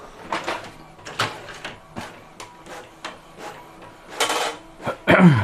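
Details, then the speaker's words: Lower Epson inkjet printer printing several copies; gears greased several times, white grease still visible: soft even carriage passes and paper-feed clicks, no grinding or rasp; normal printing. "Ya, suaranya hampir sama. Jadi nggak muncul bunyi kasar karena memang beberapa kali udah pernah saya kasih ini pelumasnya."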